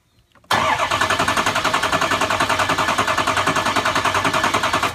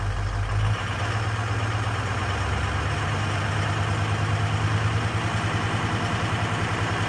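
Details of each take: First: 6.0 Powerstroke diesel that runs rough, cranked by jumping the starter tab to positive. Even, steady cranking with evenly spaced compression pulses and no skips or hard spots; the base engine is judged healthy. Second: Ford 6.0 Powerstroke diesel under 2000 rpm at light throttle: deep drone with uneven pulsing beat; IDS cylinder contribution shows cylinders 3 and 5 dropping, misfiring; FICM voltage also checked.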